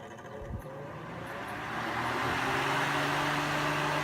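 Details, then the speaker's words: Holmes Blizzard table fan, 2004, 13 years old, thrift store find; spins up to a steady rushing roar with low hum, louder and less powerful than a 50-year-old Westinghouse — excessive running noise, cause not evident. "It's very loud. It's a lot louder than my Westinghouse table fan, which is years and years and older, and also a little less powerful. I can hear this from a mile away."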